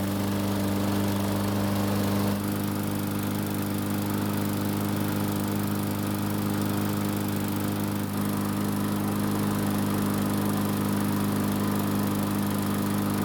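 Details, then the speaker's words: Murray lawn mower, small single-cylinder engine, after no-start repair following winter storage, running about 5 minutes, near normal operating temperature: steady even drone, no surging or hunting; running healthy. "so it's been running for about 5 minutes and it should be close to normal operating temperatures"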